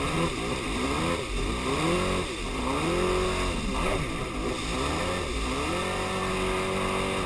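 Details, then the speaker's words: Yamaha Superjet two-stroke watercraft runs rough like on one cylinder with an uneven, surging note; began minutes after refuelling following 1.5 hours trouble-free; fresh gas didn't fix it, compression even; owner suspects plug wires or ignition. "Yeah, something ain't right. It's like it's running on one cylinder. That's really what it feels like."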